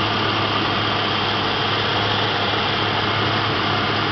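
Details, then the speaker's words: 1988 Ford Mustang GT convertible, 5.0 V8, 4-speed automatic overdrive, about 101,000 miles, mostly original, hood open: even steady smooth low hum, no knocks, ticks or misses; healthy idle. "nice and smooth really 100 000 miles you can't beat that"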